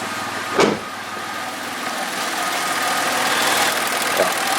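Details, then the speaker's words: 2012 VW up! 1.0 MPI 44 kW (CHYA) after V-ribbed belt and tensioner replacement for a squeal, driven a week since; engine idles with steady even hum and no belt squeal. "wie gesagt also man hört hier nichts man hört zwar den Motor aber am Riemen und selber ist kein quietschmerz zu hören"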